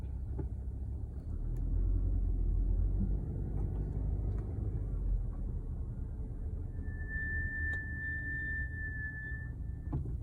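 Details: 2019 Subaru Ascent at about 16,000 miles while driving: thin high-pitched brake squeal rising over road rumble for a few seconds; began around 7,000 miles, worsening, now constant.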